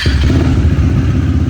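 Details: KTM Duke 390 at idle, fast even ticking clatter about ten per second riding on the idle beat; engine tick-tick noise.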